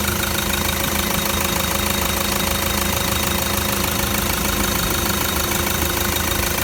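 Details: Toyota Land Cruiser 120 Prado diesel with a new replacement engine, first start after the engine swap: steady, even clatter at around 160 beats a minute, no misses or stray knocks, no tailpipe smoke; normal diesel idle.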